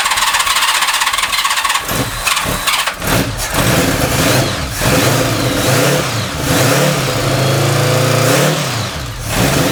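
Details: First cold start after single-carb installation, 65°F garage, hand throttle, no choke, ~1200 rpm: cranks then runs unevenly with throttle blips, faint squeal, clicking electric fuel pump; minor intake-runner vacuum leaks; external alternator load fitted.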